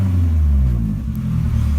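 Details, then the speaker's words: 1989 Nissan 240SX in the shop after a Flowtech Red Hot glasspack muffler was welded in to fix a cackle: a deep, solid low rumble rising with the revs and no sharp high crackle. "is much better already and I'm not still in the shop but I'd already sounds better don't have that crazy loud high-pitched cackle to it it's just got a good good solid tone to it"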